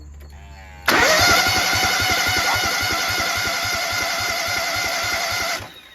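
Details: Toro Z-Master mower with a Kohler EFI twin, cranked while one injector is tested outside the engine: about five seconds of even starter chugging, roughly six beats a second, with no firing; the injector mists fine, so it is not clogged.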